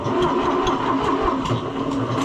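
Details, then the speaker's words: Cold tractor cranking slowly at about two strokes a second with uneven, dragging beats; owner suspects the starter is giving up and has a dead spot. Slow cranking. "That starter may be giving up on us. It has a It has a place in it that sounds like it's dead almost."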